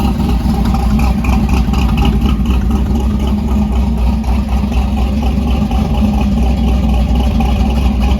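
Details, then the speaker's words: Warm stroker small-block Mopar V8 with solid roller cam in a 1968 Dodge Dart drag car, idle raised by a throttle-blade adjustment, cold weather: steady, lumpy cam idle with an even beat, no misses or knocks; normal idle. "you can hear the motor now now that it's got some heated because of that throttle adjustment it's picked up a little RPM"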